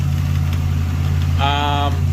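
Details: Nissan Patrol GQ with RB30 six, just revived after rewiring, new power steering pump, radiator and fuel pump relay; engine still cold: steady, even low rumble with no knocks, misses or squeals, a smooth, healthy idle.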